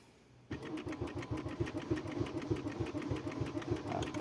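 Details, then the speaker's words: 2013 Honda Accord crank no start: steady starter cranking about three turns a second that never catches; scan tool data stream shows no engine speed signal, no fault codes stored. "Deməli, avtomobil dövrlər sayını görmür."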